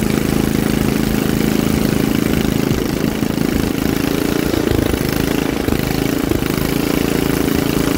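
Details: Troy-Bilt rear-tine rototiller engine after magneto cleaning restored missing spark and carburetor cleaning, during carb adjustment: steady, even putter with no misses, surging or knocking; the single runs smoothly at constant speed.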